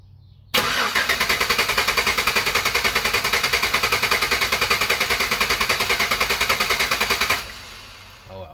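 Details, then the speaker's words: 2013 Chevy Tahoe, 5.3L automatic 2WD, cylinder 7 misfire (P0307), rough running, shaking, lack of power: sharp even tick about three times a second over a rough idle. Rocker arm not moving until lifter builds pressure; probable collapsed/weak lifter. "okay so in this particular engine uh we are probably have a collapse lifter a weak lifter"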